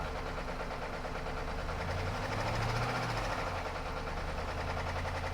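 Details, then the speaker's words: 2013 Jeep Grand Cherokee 5.7 V8, about 160,000 miles, temporary vacuum-leak patch fitted, misfiring: rough idle with fast uneven knocky clatter; top end clatter, cause not yet pinned down. "In case they didn't hear, why don't you tell them? >> I did. The engine sounds really knocky. Not good."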